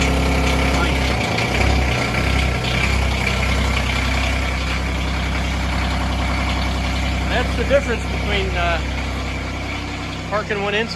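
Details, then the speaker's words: Diesel machine started in the garage, marginally warmer than the -8°F outside, on the same fuel as the non-starting RTV900: smooth, steady low idle with no misfires or knocks. Normal cold start and idle. "this is in the garage which strangely enough is marginally warmer than outside so we'll give this a few extra seconds here and we'll see how this goes"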